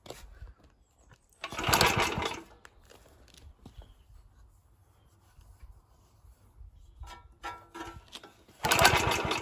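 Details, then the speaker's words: Early Suffolk Iron Foundry Model 1A engine, cold and choked, spark present but low compression suspected: two short pull-cord cranking bursts, each a rasping churn that stops with no firing. No start; fuel not getting through the carburetor. "we have got what should be enough compression through it to at least fire at the dogs so obviously we're not getting any fuel through that"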